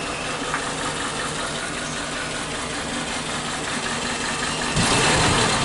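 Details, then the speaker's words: Suzuki Katana carburetted engine idling at low rpm with strong cabin vibration and weak acceleration; uneven, lumpy, stumbling idle, still present when hot, from one dead spark plug (third cylinder, black and carbon-fouled) causing a misfire. "ternyata masalahnya adalah ada satu busi yang mati nah ini harus kita kita perbaiki"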